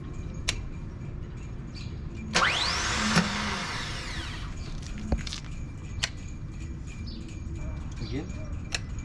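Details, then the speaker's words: Boat engine starting attempt after smoke and a possibly damaged alternator: scattered clicks, then a short whirring spin that rises and fades with no cranking; the starter motor spins but does not engage the flywheel. "oh the starter motor is not connecting it's connected but you know it's like it's not engaging yeah turn on just one click"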